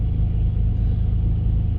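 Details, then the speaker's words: 2006 Jeep Liberty 3.7L after rough-idle repairs, cold start at about 40–44°F, check engine light off: steady low rumble held a little above the normal 600 rpm idle while warming, even and unbroken; normal cold fast idle. "that's about 40 44 degrees out today so I think it's gonna ride on a high idle just a little bit here while it warms up normal idle should be right around 600 rpm"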